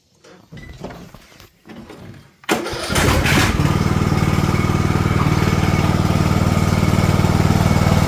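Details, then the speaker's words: Husqvarna TS242 tractor with a no-start traced to loose connector pins, started cold with the carburetor partly covered: short crank, fires at once, then settles into a steady low putter with no misses. Normal start and idle. "yes it seems to work when it's cold this almost shuts down the engine because it takes so much power but when it's water it works better"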